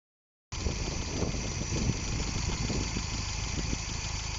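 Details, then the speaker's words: GM 1.8 Gamma engine after a snapped belt, with a lot of petrol in the oil and one or two spark plugs suspected bad, just started. The idle is fast, uneven and hunting high because the wrong crank pulley is fitted; the owner plans to recheck the timing and cam. "So idle, but sy wil op heavy."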